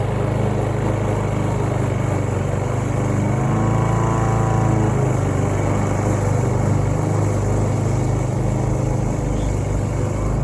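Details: Roadside-found Troy-Bilt TB230 self-propelled lawn mower (Briggs & Stratton) after tune-up and cleaning years of dirt and rusted metal from under the deck, cutting grass: steady single-cylinder drone at even speed, no misses or knocks; normal running under load.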